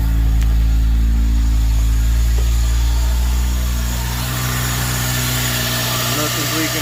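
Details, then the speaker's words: Acura RSX K-series after fitting a fuel return and flex-fuel system, fuel pressure holding at about 46 psi with no leaks: a steady, even idle with a smooth low drone and no misses or knocks; runs healthy. "all right so as you can hear it's running as you can tell nothing is leaking here nothing is leaking down"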